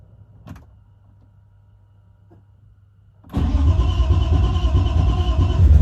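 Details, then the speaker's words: BMW E36 drift project car after radiator, fan, wiring, temporary exhaust and fuel tank work; fuel pumps heard priming, quiet cranking, catches around three seconds in, straight to steady, even idle; motor sounds fine. "It sounds like pumps kicking on. Motor sounds fucking fine. Yeah. Motor's chilling."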